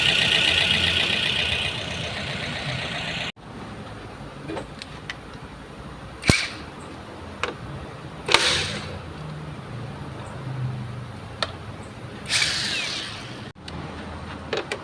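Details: Rough idle with an uneven, stumbling beat and irregular sharp pops over a steady hiss, a cylinder misfire; ignition coil plug suspected as the cause, not confirmed.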